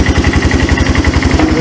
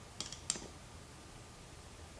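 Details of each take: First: Yamaha 250cc ATV, abandoned and said to have run when parked; even quick single-cylinder thumping about seven beats a second, steady and smooth with no misses, a healthy idle. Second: Abandoned Yamaha 250cc ATV (Bear Tracker), said to have run when parked, has oil and only weak spark: starter spins an even three-plus pulses per second but never fires; owner suspects key switch or bad ground. Cranks but won't start.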